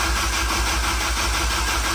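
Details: K24-swapped DC2 Integra cranking with injectors unplugged before first start: steady, even cranking about six pulses a second, strong regular starter rhythm, even compression each stroke; normal cranking.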